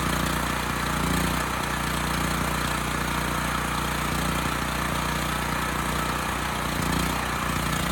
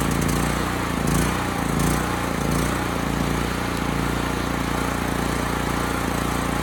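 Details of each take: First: Homelite HG5000 generator engine test with temporary fuel line, air filters off, before stator and rotor replacement: steady even drone with no misses, knocks or surging; runs pretty well, a touch lean, possibly from missing air filters. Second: Homelite HG5000 generator after new stator and rotor fitted: low slow drone with slight hunting, under governed speed; engine speed low, hertz and voltage low, power output restored; running low on gas.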